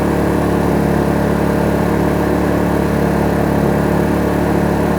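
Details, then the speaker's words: Kraft&Dele KD681 3000 W inverter generator, warmed up, no load, mic about 1 m away: steady, even, smooth hum in eco mode, then switched to full mode with revs rising slightly and noise unchanged; normal no-load run. "Ну ось такий рівень шуму екорежимі на відстані десь приблизно один метр тепер вмикаю повний трошки незначно оберти двигуна зросли"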